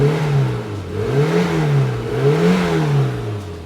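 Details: 1992 Rover Mini Cooper 1.3 SPI, one owner, 25,000 miles, garage-stored barn find: revs rise and fall cleanly with each throttle blip, no knocking or rattles; engine sounds healthy. Clutch slave cylinder seals perished, losing fluid.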